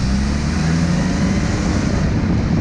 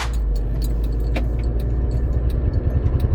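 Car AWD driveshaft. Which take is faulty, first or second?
second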